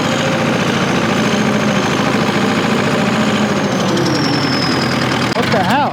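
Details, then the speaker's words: An old heavy diesel bulldozer idles with an uneven, loping chug, running on three cylinders and lacking power in first gear under load. The crew wonders whether it is running out of fuel. "man that ain't right man it's only running on three cylinders no way yeah yeah I went into the pile and you know first gear and it just doesn't have any power you can hear it loping"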